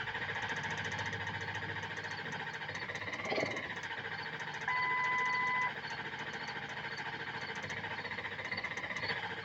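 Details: Engine after replacing stand pipes, dummy plugs, IPR valve and STC fitting, rested 40 seconds between attempts: steady cranking chug with one brief catch that dies. It cranks long without starting; owner suspects the passenger-side upper injector O-rings.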